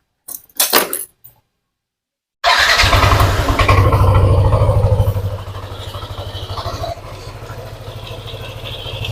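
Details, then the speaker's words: Yamaha NMAX scooter, quiet when cold but warm idle: fast light tek-tek-tek ticking about three a second, louder when throttled; worn crankshaft bearings. "permasalahannya suaranya pada waktu Saat dingin dia tidak bersuara akan tetapi pada waktu suhu sudah panas untuk motor ini terdengar suara seperti ini ya teman-teman kita hidupkan dulu"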